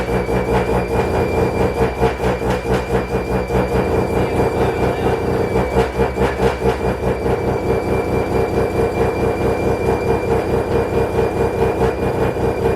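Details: Mazda FD RX7 bridgeport rotary, Hypergear T51R single turbo conversion, first start: very loud raw idle with fast chattering pulse about two per second and sharp popping; massive exhaust leak at turbo exhaust housing V-band clamp not seated.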